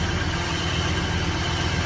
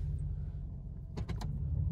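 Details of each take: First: 2001 Cadillac DeVille with codes P0351 and P0303, slight smoke and an oil leak: low, lumpy, shaking idle; suspected misfire from worn spark plugs and a faulty ignition coil. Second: 2001 Cadillac DeVille after replacing all 8 spark plugs and both ignition coils for P0351/P0303 misfire: in drive holding the brake, idle is quiet, even and smooth with no missing beats or shaking.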